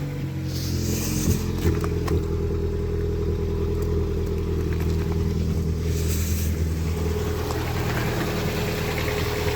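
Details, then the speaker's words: Lada Priora that previously overcharged at 16.7 V with belt whistle, now reading 13.9 V with the engine running and lights switched on for load: steady, even idle with no whistle or hunting. Charging is normal. "Так, 13,9. Все нормально, что? Свет включу сейчас под нагрузку."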